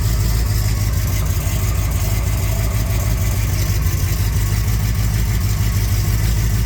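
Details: 400 Z28 V8 at idle with a dull knock about three times a second under a deep rumble; likely lower-end rod knock.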